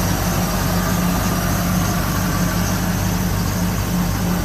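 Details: 1973 Ford Maverick restomod, fuel-injected 302 V8 with cold-air induction and aluminum radiator, idling around 800 rpm with almost 60 psi oil pressure. Smooth, deep, steady exhaust rumble with no misses or knocks: normal idle.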